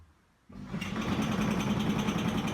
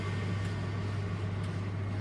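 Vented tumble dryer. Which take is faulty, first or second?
first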